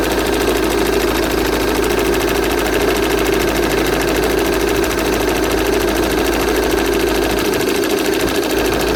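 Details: VW Passat 2.0 TDI diesel at idle: a fast, even ticking at about two beats a second from the engine bay, source not yet identified.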